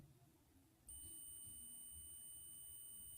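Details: Clamp meter set to beep (continuity) mode, black lead in COM, red lead in its jack: quiet hiss, then a sudden steady high beep that holds without wavering; the continuity check sounds normally.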